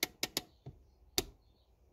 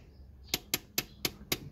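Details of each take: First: 2004 Honda Accord Euro R (K20A) handbrake that would not hold, before adjustment: a quick run of about seven sharp ratchet clicks as the lever pulls up. Too much lever travel from a slack cable. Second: 2004 Honda Accord Euro R (K20A) handbrake after cable adjustment: five crisp ratchet clicks about a quarter second apart, then the lever becomes hard to pull. Travel is correctly set.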